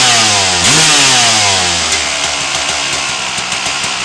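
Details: 1997 RM250 two-stroke after header pipe dent repair, started with choke on: sharp buzzy revs climb quickly, then settle to a steady crackling run; picks up cleanly and sounds healthy.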